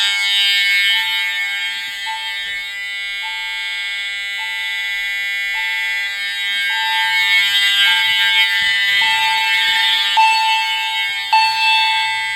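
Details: EST fire alarm system test (pre-Integrity panel with chime): steady horn tone with a bright chime repeating about every second, clear over all horn strobes; horns and chime sounding normally.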